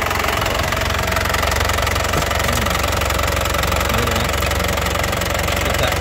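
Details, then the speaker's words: 2019 LS Turbo diesel, low mileage, dry turbo area, starts first crank: steady idle with firm, regular, crisp clatter, stable vibration, no misfire or stumble; revved with dry exhaust; healthy engine. "Ini dari segi suara, suaranya juga renyah, khas penter getarannya juga stabil ya, tidak kencang, tidak goyang. Artinya ee mesinnya benar-benar sehat ya."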